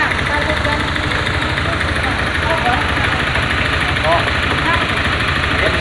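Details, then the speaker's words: 2021 Honda Scoopy scooter that turned rough two days after an oil change: coarse, uneven rattly clatter at idle; mechanic suspects a defective connecting rod and piston, not confirmed. "karena didengar dari suaranya di awal motor ini kita hidupkan itu suaranya terlihat sangat kasar ataupun terdengar suaranya itu sangat kasar"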